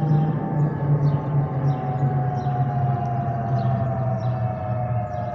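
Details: Delta Airbus A320-212 N351NW in cabin, flight RDU-DTW, stabilized; over the steady cabin roar a clear constant hum with a higher whistle; FOPP whistle.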